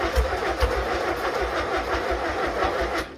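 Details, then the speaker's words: Freshly rebuilt 1600cc engine, first startup with starting spray: starter labours in slow, uneven heaves about two a second and fades out as the battery runs low from repeated cranking; slow cranking from weak battery. "Battery's getting low. Let me put the battery on"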